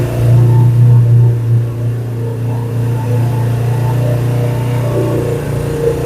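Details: 2007 Suzuki GS500F twin motorcycle, long stored, revived: pulls up cleanly on a short rev then settles to a steady even low idle drone with no misfire or knocking; doesn't sound too bad.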